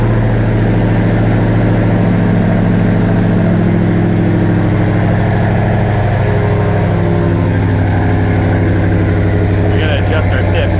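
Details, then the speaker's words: Dodge Ram 1500 regular cab with a swapped-in Hellcat 6.2 L supercharged V8, Delta Force intake with velocity stack and exhaust, early start with a possible coolant airlock: deep, steady, even idle with a heavy low rumble, no misses or ticks. Normal idle. "man this thing sounds so good with this intake and exhaust you guys going to make the hell Koda jealous"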